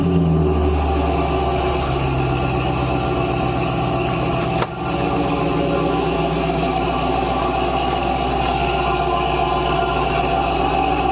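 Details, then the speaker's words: 1970 Cadillac Eldorado, carbureted, true cold start with the choke set: even, smooth, slightly raised high idle with one brief dip when the accelerator is pressed to step the idle down; a normal cold fast idle until the choke comes off as it warms. "So I mean, that's it. It's still on the high idle because the engine's still cold. The choke hasn't come off yet."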